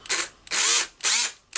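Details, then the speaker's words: Makita cordless drill (DHP458) with overheated carbon brush holder and brushes moving poorly, brush pressed by hand: motor whines up in short, uneven bursts about twice a second, dropping out between them; poor carbon brush contact, electronic brake works. "Okay, what I can do, I can press the carbon brush and I can try to turn it on now. Okay, it's really not going normally."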